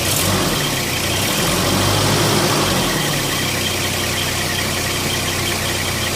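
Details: Holden Rodeo 2.6: steady idle with an uneven rump-rump stumble about four times a second; rough idle, cause unclear.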